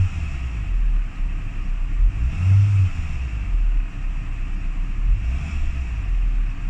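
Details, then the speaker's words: Renault Twingo driven in rain after spark plug change, wipers off: deep engine note swells then sags and stumbles on acceleration, a dip and hesitation before picking up; engine bogging, not fixed by plugs, binding brakes also suspected. "no it's still there when i accelerate there's a little dip where it hesitates and then it picks up you can hear the engine i turn the wipers off hear the engine bog down"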